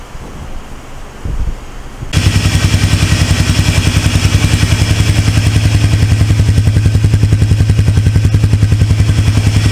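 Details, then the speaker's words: Polaris Trail Boss 330 ATV sat a couple of years, just reassembled: even, steady single-cylinder idle about three or four beats a second, no misses or knocks; unknown hours but looks lightly used. "this thing sounds good I don't even know how many hours is on it but by the looks of it it ain't it ain't been dogged out"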